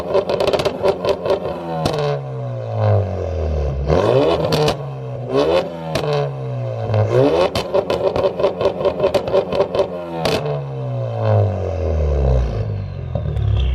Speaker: doesn't sound good on camera so it probably sounds like ass on camera yeah but in person that thing sounds really really good so what is it just pretty much full Bolton um four port fuel injection system front mount intercooler catless down pipe St performance exhaust